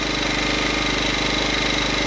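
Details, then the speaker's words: Champion 2000 watt inverter generator, new from the box, started in two pulls and idling in economy mode with no load, indoors with the door open and a fan going: steady, even, quiet low hum with no hunting; running smoothly. "So that's what it sounds like idling in economy mode before you put a load on it. We're going to test a few things about it real quick. So far it's running pretty good. Pretty quiet."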